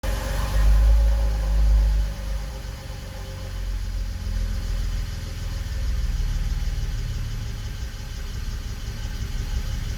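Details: BMW 325i E92 cold start, misfire seen on INPA: low, uneven rough idle after loud start, loping stumble about four times a second; misfiring while cold.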